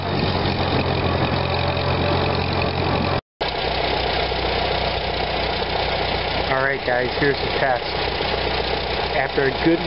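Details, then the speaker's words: 1945 Farmall BN after Zenith carburetor cleaning of blocked passages, warm after a long ride: even low idle that firms up and picks up cleanly on throttle without stumbling; normal idle and throttle response. "went for a nice long ride I've come home that hit that throttle she was wearing to see what she does"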